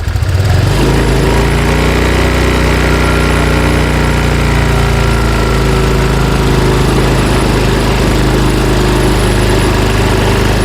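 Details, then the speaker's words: Honda Vario 125 scooter after injector fix, held at 1500 rpm: even smooth fast idle with no stutter or misfire; previous low-rpm hesitation and lack of power was caused by the injector. "normal ya. Jadi udah enggak nyendat-nyendat lagi. Saya gantung di ee 1500 RPM."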